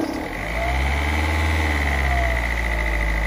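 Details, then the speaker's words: Peugeot 206 SW 1.4 HDi diesel, parked for months, warm after about two minutes running: steady idle with an even, soft clatter, no misses or knocks; purring smoothly once warm. "we've got a little bit of temperature and the heat is a nice and warm so that's a good sign um if we do this we can hear that it's purring now"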